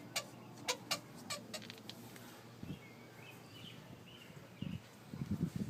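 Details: Infiniti G35: quiet car with a few sharp chirps, then faint high squeaks and low creaks; intermittent squeak, cause unknown.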